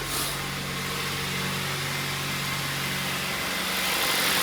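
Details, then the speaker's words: Kia Ceed 1.6 G4FC, ninth year, 238 thousand mileage, after a full engine rebuild with cylinder sleeving, warmed to operating temperature: even, quiet idle with a steady low beat and no knock or tapping. Healthy. "Работает ровненько работает. Тихо. Красота."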